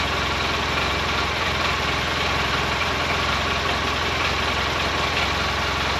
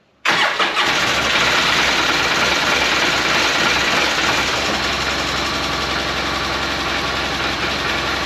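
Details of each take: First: 2012 Polaris Ranger 800 six-seater, revived with new parts, just after first start. Steady idle with a light, fast metallic rattle riding on the engine beat; owner unsure, suspects play in the clutches. Rattle at idle. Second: 2012 Polaris Ranger 800 six-seater, revived with new parts, first start after battery hooked up and fuel added. Catches after a brief crank and settles into a steady, even idle with no knocks or misses; normal start and idle.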